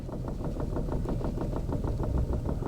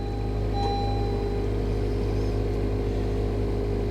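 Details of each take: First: Chevy at salvage auction, sat for months unstarted, fuel tank dead empty; uneven lumpy idle pulsing about six times a second, then stalls, said to have run out of gas. Rough running. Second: Hail-damaged 2021 Honda Civic Sport at salvage auction, about 3,000 miles, just started on a jump pack; smooth even low hum, no knocks, ticks or misses. Normal idle.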